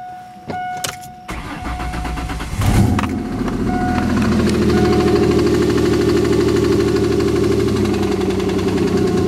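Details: 2000 Ford SVT Contour with 3L Ford Escape block, Cougar 2.5 heads and SVT cams: engine cranks, catches and settles into idle with a regular tapping knock about three to four per second; cause not determined.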